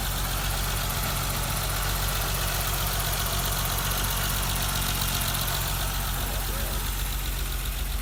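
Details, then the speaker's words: 1988 BMW 325 sedan, cold start warming up at idle, phone held near the injectors: steady idle with fast even light injector ticking; normal, healthy. "She is idling. So here, listen. Sorry, it rained last night. Here's the car. I'm going to move the phone around so you can hear different parts. Injectors."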